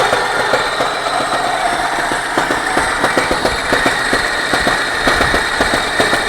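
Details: Engine knock at idle: sharp, uneven knocks about two to three per second cutting through the idle; cause not identified.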